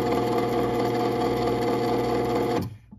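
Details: Genie Pro Screw Drive CM7600IC/A garage door opener whose motor needed freeing, now working (owner earlier noted a slight clunking): smooth, steady motor hum with faint regular tick through travel, stopping cleanly; normal running.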